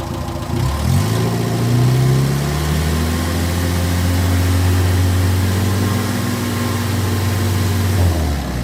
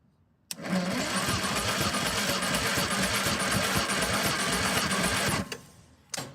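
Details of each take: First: 1958 Morris Minor ute engine after 20+ years sitting, tested with an oil pressure gauge reading about 50–60 psi: catches after a second, blips, then settles into a steady, even low idle with no knocks or misses; judged in surprisingly good condition. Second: 1958 Morris Minor ute engine that sat unused for 20 years, cranked during a compression test on cylinder four reading 125 with the throttle not held open. About five seconds of sluggish cranking; the battery is getting low.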